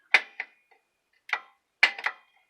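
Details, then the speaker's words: Revster 12-volt stand-up scooter in good shape but not running; the hidden deck switch under the rear of the deck gives crisp, sharp single and doubled clicks when the deck is pressed, so the switch is actuating normally. "Oh, you can't hear it now. You could hear it click. I don't know why it's so loud now."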